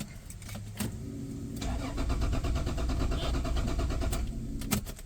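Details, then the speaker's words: Mercedes-Benz W124 with Toyota 1JZ distributor engine cranks at an even three to four beats a second but never starts; no spark, ECU found full of water and likely shorted, to be replaced with a used unit. "กล่องน่าจะพังไปแล้วนะน่าจะช็อตก็เดี๋ยวต้องหากล่องใบใหม่นะ"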